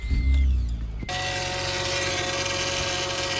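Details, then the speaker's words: 2008 Acura TL Type-S after replacing the upper and lower power steering hose O-rings and bleeding: a clunk, then idle with a steady high whine; fluid level drops, so air remains in the power steering system. "See it drop down. That means there's still air in the system. So I'm going to refill it some more."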